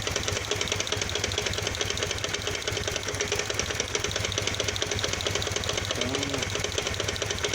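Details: Kawasaki VN 800 Vulcan V-twin, bought a week earlier and just back from service with oil leaks at the heads: fast, uneven ticking knock over the lumpy idle, seemingly from low in the engine; cause unconfirmed.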